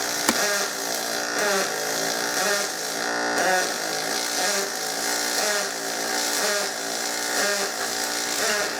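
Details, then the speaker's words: Double pulse aluminum MIG welding with an iron-mixed 303 SP welder, a 3 m water-cooled push gun with graphite liner, on a boat: steady arc buzz swelling and easing about once a second in an even beat, normal weld. "I'm gonna give you another minute here to listen to this double pulse and then enough of this I'm gonna fast-forward with some music and show you how we see the deck put everything in and wrap this thing up"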